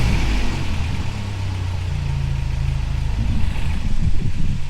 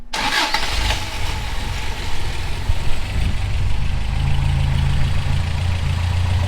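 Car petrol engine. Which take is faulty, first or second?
second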